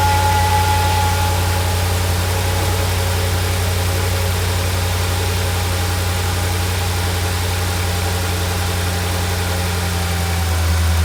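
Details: Mercedes SL55 AMG (M113K, almost 200,000 miles) at first start after installing a double idler pulley assembly and tensioner pulley replacing the plastic pulleys: even, steady idle with no chirp, rattle or bearing whine from the belt drive. Normal idle.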